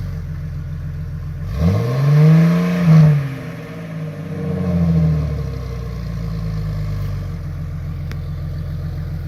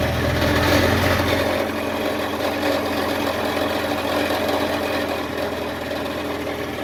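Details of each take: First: 2000 Jeep Cherokee XJ, 4.0L straight-six, with the new MBRP stainless cat-back exhaust: it starts, blips twice with a deep, smooth rise and fall, then settles to an even idle. Normal exhaust note. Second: 2000 Jeep Cherokee XJ 4.0L straight-six at idle on worn factory exhaust before MBRP replacement: loose, buzzy rattle over the exhaust note.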